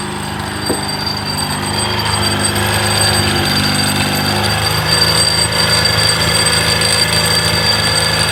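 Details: Honda Beat New scooter with a customer-reported "krincing" jingle. After removing and separating a part so it cannot move, a light metallic jingle still rides over the steady engine note. The mechanic concludes it is an intruder: a loose broken fragment rattling inside the engine.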